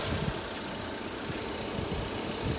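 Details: 2019 Ford Fusion Titanium, regular gas, idling outside with hood about to be opened: soft, even low rumble with a smooth steady beat, no knocks or misses; healthy idle in open air.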